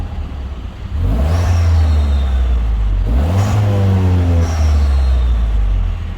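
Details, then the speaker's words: Citroen DS3 after fitting an upgraded performance induction kit (part two install): two clean revs rising and falling smoothly with deep intake roar, no misfire or rattle; no faults after about 10 minutes' driving, no power loss felt; normal revving. "it doesn't sound too bad at all right guys I think we're going to call it on the video um it's late I'm tired it's time to get home um but actually sounding pretty good um no Faults to come up"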